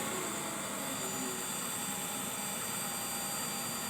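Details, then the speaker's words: 2014 Infiniti QX60 at idle with a new battery: steady high-pitched whine over a constant engine rush, not wavering, reportedly from the CVT transmission, a known issue; car had also made loud squealing; high-pitched whine. "You can hear that high-pitched whine. Apparently that's the CVT transmission. Monster issue in this car."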